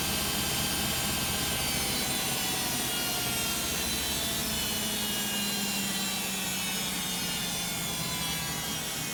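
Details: Beko WM5100W 5kg washing machine, found on the street and plumbed in, test-running a rinse with rags: a loud, rough rushing roar with a faint rising motor tone runs through a long, roughly 10-minute fast spin. Noisy; cause uncertain.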